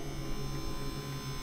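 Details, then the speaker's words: Bugatti Veyron gearbox hydraulic pump: low, steady electric hum that never cycles off, pressure climbing past 70 bar; pump stuck on, sticking relay suspected, not confirmed. "If that pump is staying stuck on broken again, the gearbox pump is just stuck on. Still pumping now. It's on."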